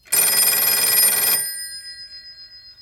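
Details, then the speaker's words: Western Electric 302 telephone with ringer at its softest setting: a shrill bell rings about a second, then a fading, pulsing metallic buzz lingers as the ringer vibrates after ringing, a long-standing unfixed fault. "So there's some vibrations that you can hear whenever this phone is done ringing. And usually 302s sound much more pleasing to listen to than this one here."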